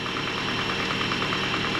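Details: 1983 Toyota Pickup SR5, 5-speed, 41 years old, first start after sitting about a year in a shed, old gas: fast light metallic rattle over a rough idle, steady with engine speed. Owner blames a worn timing chain guide.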